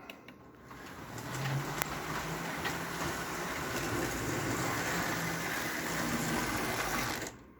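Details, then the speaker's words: Model train Leon chassis with medium-sized magnets, motor test only, no sound or smoke: light even whirring with faint quick steady ticking, mostly wheels rolling; a loose wheel spotted, motor sounds smooth and normal. "Right now, all you hear is the wheels rolling, basically."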